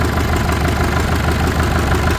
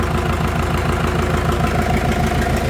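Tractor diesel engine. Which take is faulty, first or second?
first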